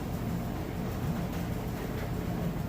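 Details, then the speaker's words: Whirlpool electric dryer on auto dry (high heat) with a full load of clothes: steady low rumble of the drum turning with a soft even whir and no knocks or scrapes; smooth operation. Normal operation. "it sounds great, it's a nice smooth operation."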